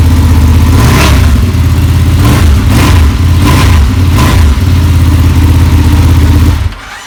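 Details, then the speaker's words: Ducati Panigale started after reassembly from heat-reduction work: catches and settles into a steady, even idle with a couple of smooth blips, no knocks or rattles; runs healthy. "All right, so Teens is gonna start it up and make sure it works. Go ahead."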